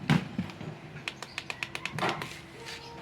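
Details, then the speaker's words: Gecko rechargeable electric mosquito swatter after repair and resoldered battery: about eight sharp, crisp, strong snapping spark cracks in quick succession over about a second; spark firing properly. "So ayan na mga idol, buo na oh. Buo na. Pakinggan natin yung spark, kung malakas bang spark"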